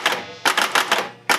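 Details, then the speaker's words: Pinball flipper after repair, previously sticking in the up position because its shaft was not firmly connected to the plastic: sharp clacking strokes in quick bursts, snapping up and dropping back cleanly. "The problem before was, the problem before was that this flipper, when you hit the thing up, it would stay in the up position. But as you can see,"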